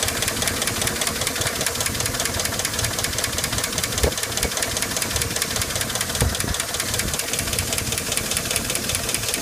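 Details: Chevy/GMC 4.8/5.3/6.0 V8 truck idling with valve cover off after cleaner sprayed down pushrod holes: fast, sharp steady ticking over the idle; dead collapsed lifter clattering that doesn't go away, damage already done.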